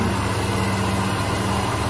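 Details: Hyundai Accent (Avega/Verna) that would not crank, after replacing the shorted, burnt starter motor: steady even idle with a smooth low hum and no knocks, misses or squeals; healthy, charging 14.6 V.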